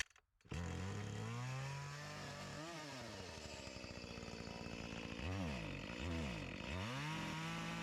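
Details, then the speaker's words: Echo CS-352 chainsaw with a start-and-die complaint, before repair, cutting wood: revs up, then the pitch sags and dips repeatedly under load; lacking power from fuel starvation even with the carburetor screws at max, fuel line or carburetor suspected. "this isn't getting the gas that it needs it's lacking the power I adjusted the screws to the max and wasn't doing anything you could see how it was bogging down"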